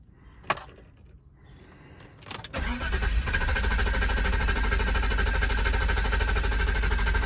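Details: 1992 BMW 730i (E32), left undriven a month, battery went completely flat and was recharged: long cranking with a slow, even beat before catching and settling to steady idle; hard starting. In-tank fuel pump runs with engine running but never primes at key-on; cause unconfirmed.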